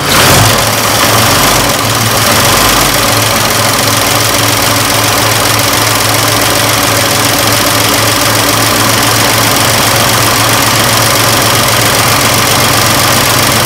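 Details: 1926 Oakland four-cylinder just started after 75 years off the road, dry-packed water pump weeping slightly: steady even idle with light valve-train patter, no misses; runs cleanly.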